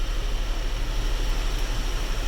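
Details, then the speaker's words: 2006 Honda Odyssey AC blower after cabin air filter change: steady, even rush of air with no rattle or whine; more and colder airflow, earlier noise gone. "si ustedes oyen ya trabaja mucho mejor a más aire más frío yo no soy el ruido que había"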